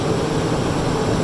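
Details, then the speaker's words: 2006 Lexus LX470 2UZ-FE VVT-i V8 just after rear water bypass gasket coolant-leak repair, still cold: steady even low hum at raised high idle, no knocks or misses, no leaks; healthy. "There we can see it's still cool, obviously, so high idle."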